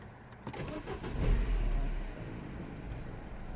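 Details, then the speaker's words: 2007 Mini One 1.4 N12 petrol, previously bouncing at idle and stalling with error 2982, restarted after an adjustment via the service menu: it cranks, catches and revs briefly, then settles to a quiet, even idle with no stumbling; much better. "And look how it idles. Way much better."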